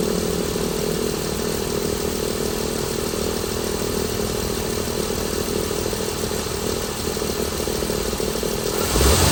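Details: 2016 Chrysler Pentastar 3.6L, stated as about 2017 in a 2017 Dodge Ram 1500 regular cab, idling with a dense, uneven low chatter about three pulses a second; owner reports a massive cranking noise at start; source unknown.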